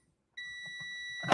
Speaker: So you should hear it beep when there's continuity.